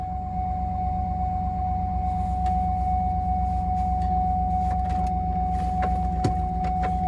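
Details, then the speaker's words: 2007 Cadillac Escalade with no-start no-crank fault, fires right up after removing a green clip (BCM suspected): steady even V8 idle, soft low pulse and constant faint tone; engine runs smoothly though ABS and brake lights stay on. "Now my all right, lights are still on, but I have fuel gauge now. Fires right up."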